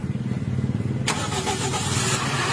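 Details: Toyota Vios flood-submerged, not started since December, after installing an ordered part: brief cranking, engine fires within a second and settles into steady even idle.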